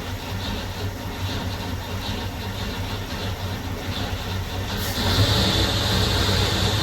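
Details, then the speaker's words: 1966 Ford Mustang first start after sitting 16 years under a carport: even, steady low idle with a smooth regular beat, no knocks or misses, some smoke; sounds great, normal idle. "Oh, come on, honey. Sounds good too. Silent. Oh, it's getting pretty smoky. Silent. Sounds great."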